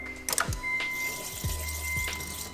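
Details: Honda FA5 all-motor build, first key-on before first start: a few clicks, then a steady high electric hum for a couple of seconds; normal fuel pump prime.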